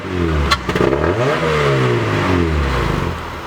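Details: Honda Prelude whose throttle stuck and redlined it, smoking the clutch; after a temporary fix the idle no longer sticks; revs rise and fall with a loud, raw, open exhaust roar, consistent with a muffler that has broken off.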